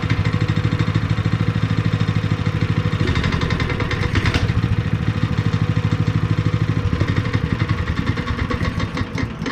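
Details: Honda GX160 5.5HP on a long-sat concrete finisher, after new fuel line and cleaned spark plug, warming up after starting: fast steady single-cylinder putter about three beats a second, even and unbroken; running normally.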